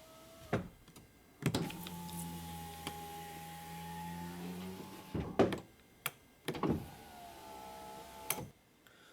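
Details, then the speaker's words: Dodge/Mercedes Sprinter, after replacing driver-side master window switch, passenger window run from it: smooth, even motor hum for about four seconds with clean stop, then short runs; window travels freely, fixed. "so let's try the passenger side i can hear it going down right there let's go up"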